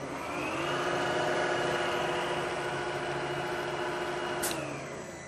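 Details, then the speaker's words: Rottler boring bar trial cut in an engine block cylinder targeted at 4.025 inches, school machine shop: steady even hum with a fixed mid-pitched tone throughout, no chatter or squeal; boring bar cutting normally. "Okay, lever down, push the feed button, and I'm going to make another trial cut here."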